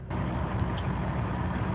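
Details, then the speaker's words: 2001 Chevy Malibu 3.1 L V6 idling after throttle body and MAF cleaning for high idle (previously 2000–3000 rpm), run a few minutes; low even rumble steady at just over 1000 rpm, no hunting; normal idle. "you can see the RPMs are now down to just over a thousand which is a lot better than what it was"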